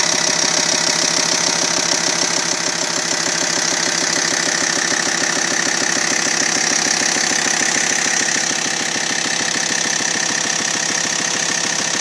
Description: bruit anormal moteur t5